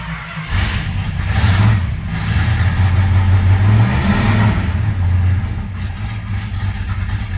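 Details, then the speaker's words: 1971 Plymouth GTX V8, bone cold after sitting overnight per the temp gauge: the starter catches quickly, the big V8 flares up and settles into a deep, even, lumpy idle; a healthy normal cold start. "nice cold start there I'll show you the temp gauge you can see we're bone cold it's been sitting here overnight and nobody's moved it"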